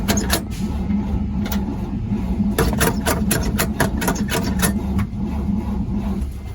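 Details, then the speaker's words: 1948 Chevrolet 3800 dual-wheel stake bed truck, long parked, first start attempt without fuel supply, only primed mix fuel: catches for a second of ragged firing then dies; fuel starvation. "i did run for just a sec let's try to give her some more fuel here this is uh this whole mix fuel because i don't have any fuel yet"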